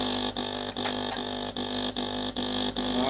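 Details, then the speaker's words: De'Longhi PrimaDonna Elite Exclusive espresso machine, used, no water flowing, heating in progress: loud harsh buzz pulsing about two and a half times a second, no water sound; vibration pump running on air, delivering nothing. Solenoid valve or flow meter suspected. "I'm trying to pump but don't pump you can see the heating"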